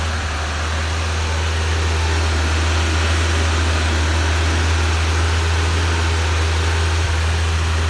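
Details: Suzuki Carry, long unused, idling after a fuel pump feed bypass: fuel supplied close to the pump, with excess returning to the tank. A low, steady idle hum with an even beat of about four per second and no knocks or misses.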